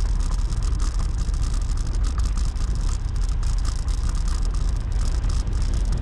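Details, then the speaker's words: GoPro Hero 7 mounted on a motorbike; quick light ticking rides over engine and wind noise, caused by the camera's loose, rattling battery door latch; loose battery door rattle. "Nhưng mà nó có một cái điều là anh em sẽ nghe một cái tiếng tạch tạch tạch tạch tạch nó ở trong video."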